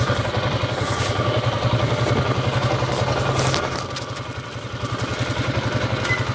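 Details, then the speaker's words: Motorcycle (TMX155) single-cylinder engine test-run in gear: steady hum over thumping beat in third gear, none in second; suspected worn pilot bearing or countershaft bearing. "try natin patakbuhin baka marinig natin yung umuugong primera tersera meron siyang maugong marahil kwan to pilot bearing counter shop yung tama"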